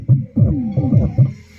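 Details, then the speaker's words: Darpan tower home theatre that had bass humming, cracked sound, one side completely silent and series bulb glowing, now after repair: previously dead side plays fully, deep punchy bass clean with no hum or buzz, bulb no longer glowing. "यह भी हमारा देखिए बिल्कुल नहीं ए रही थी और पुरी तरीके से आने लगा"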